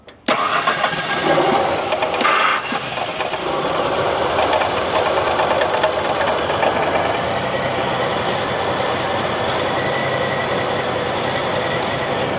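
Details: LT van, first runs after setting timing (was about 20° off, may need less) and hooking up the mass air flow sensor, intake hose loose, motor mount shot: catches right away, then uneven, lumpy run with some knock; rough running, cause suspected.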